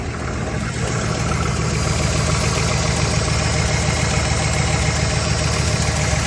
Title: Camshaft? Lifter tick? Piston slap?